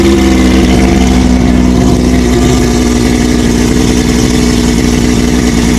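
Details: OMC Johnson 175 hp two-stroke outboard on a dyno at full load: drones steadily at a held-down speed as the faulty power pack forces slow/limp mode, not the suspected fuel starvation.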